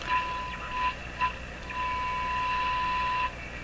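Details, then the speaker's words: Viking Model 4516 radio during wax and molded capacitor replacement, tuned to 1000 kHz with the local oscillator at 1455 kHz: a clean steady high whistle fades in and out as the dial nears 1.9 MHz, then holds, the image frequency coming through the speaker. "so what that means is with this radio if you were listening to where it's tuned right now 1 million Hertz thousand kilohertz and there was another signal at this frequency this radio would pick it up and will come out the speaker"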